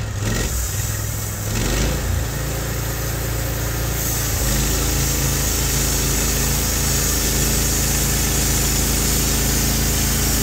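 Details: Norwood HD36v2 bandsaw mill testing new roller guides in place of the ceramics on a black oak log: a steady, even engine drone with a smooth band hum as the blade settles into the cut. The cut is smooth and exceptional; normal cutting.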